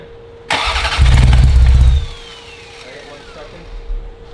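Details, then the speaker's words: Ferrari 348 after engine-out timing belt major service, crank no start: starter churns about a second and stops, never firing. Fuel smell, computer being connected; cause not confirmed. "Josh's hooking up the computer because it should have fired by now so something's not quite right"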